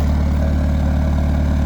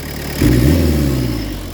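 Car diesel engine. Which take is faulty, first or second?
second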